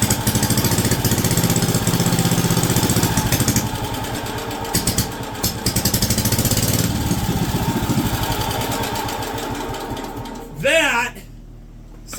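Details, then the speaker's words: Wisconsin AB single-cylinder engine on a WW2 Signal Corps generator, first start in about 70 years: steady thumping with the governor actively holding speed, no clunking or odd noises; running fantastic, though it was over-fuelling somewhat as fed. "amazing and the governor the governor is actively working in the back that sounds amazing no clunking no weird stuff going on it is running fantastic"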